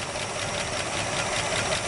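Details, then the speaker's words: 1965 Chevrolet Bel Air, first start after 27 years, idling with some smoke: rough uneven idle with fast light ticking and occasional stumble; audible lifter tick, one plug wire sparking off, so likely misfiring on one cylinder. "You know, you can hear the lifters, but I hear one for plug wire, so we know that it's probably skipping on one cylinder because of that."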